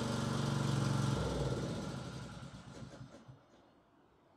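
Even, steady single-cylinder beat with no misses or knocks, then it smoothly winds down; the engine is running properly.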